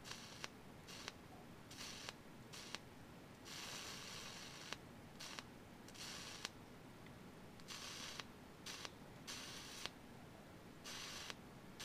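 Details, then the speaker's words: Inductive kickback from an inductor carrying about one amp: each time the contact opens the stored energy arcs across the gap, giving repeated sharp snaps with hissing crackle as the arc breaks and restrikes many times a second. "so the voltage goes back up until it makes it can ionize atmospheric ducts so if i had a slow motion camera you would actually see it doing that multiple times a second like a whole bunch and that's what makes that"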